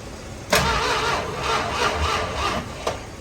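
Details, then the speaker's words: 1973 Dodge Challenger being revived, first attempt on key: a few seconds of steady, rhythmic starter cranking without catching; starter and cranking sound normal. "That's good enough. Turns over. That's all I really need."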